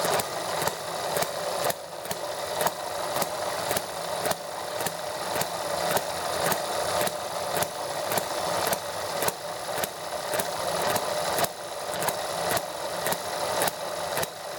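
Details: ETX small model engine, first startup after a valve job to fix a leaking intake valve, hand started: steady fast buzzing run with even firing, no stumbles or misses, ran nicely about 10 minutes; normal running after repair.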